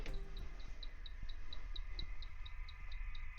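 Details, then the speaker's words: Wine cooler just plugged in, no lights, buttons dead, not cooling: faint high chirp repeating about four times a second over a low hum. "You can hear that little chirping. If you can hear the chirping right now, and there's nothing lit up here, none of the buttons work."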